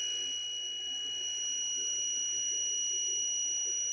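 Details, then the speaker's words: SMCU-4 integrated ethernet CNC drive running a stepper motor jog in Mach3, 10x microstepping, acceleration 2000, reaching about 3500 rpm: clean steady high-pitched whine with even tones, running smoothly. "we'll click okay and begin the jog once again we hear the tone"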